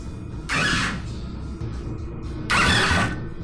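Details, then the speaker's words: 125cc drift trike with fried, loosely wired harness after fixing ground connection; two short whirring cranking bursts, never fires; spark plug check confirms no spark. Cranks but no start. "Should we pull the spark plug and check if it sparks? Yeah. Okay. Update: we've got a problem. A problem. No spark."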